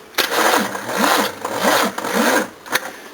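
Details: Second-hand Nippon Denchi GS battery cranking a 351 V8: slow, uneven cranking of about two compressions a second that sags and stops without firing; tired battery.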